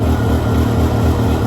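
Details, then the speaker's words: 2006 Can-Am Outlander 400 HO 4x4 ATV, started after sitting for years once fuel was poured in (owner suspects weak suction to carburetor); even, steady single-cylinder idle with regular thumping pulse, no ticking or knocking; motor sounds super healthy. "how about that boys it does run the motor sounds super healthy"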